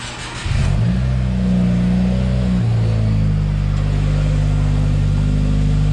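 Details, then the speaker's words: 2020 Subaru WRX 2.0 FA20F turbo boxer, just after an oil change and near operating temperature: after start, a quick rev settles into a smooth, steady, low boxer idle with no knocks or ticks; it sounds healthy. "dang that sounds good but let this engine oil cycle through and then uh i'll shut it down"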